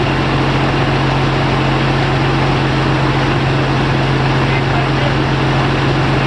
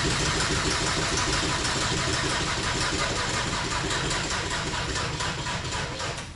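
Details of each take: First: Audi TDI diesel in the Raptor prototype on its first run with the new reduction drive fitted and the old prop on: a steady, even diesel drone with a firm low hum and no knocks or misses; running normally. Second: Audi TDI diesel engine in Raptor prototype with new reduction drive, cranked without fuel to build oil pressure; sluggish labouring crank about four turns a second, slowing and fading without firing, flat battery.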